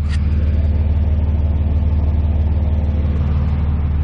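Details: 5.9 Cummins diesel after fuel filter delete and lift pump install, system self-primed: deep steady clatter about three beats a second, even with no stumble or miss. Normal idle.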